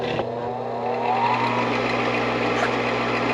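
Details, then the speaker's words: Gas furnace that shut down with two flashes, meaning pressure switch open with inducer on: after a restart the inducer fan spins up smoothly with a steady low hum and whoosh. Ignition and flame follow normally. "That's the inducer fan that's on."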